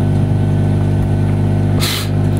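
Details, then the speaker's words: Modified amplifier with tone control: a loud, steady low hum from the speaker stays unchanged regardless of volume, with one brief crackling hiss; the cause, tone control or modified power section, is still being traced. "itu tidak ada pengaruhnya sekarang sama sekali dari tetap menimbulkan suara dengungan nya"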